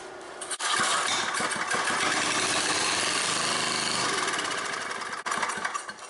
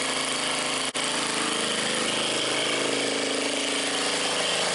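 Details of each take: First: Old scrapyard Briggs & Stratton generator (guessed late 70s or early 80s), first start in years, with stale water-contaminated gas found and the tank empty. It catches and buzzes about four seconds on the prime, then dies; no fuel. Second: Old scrapyard Briggs & Stratton generator on fresh gas after priming and choke. Steady, even running with a rough, busy clatter and one brief dropout, then it keeps going; it runs healthy after long storage.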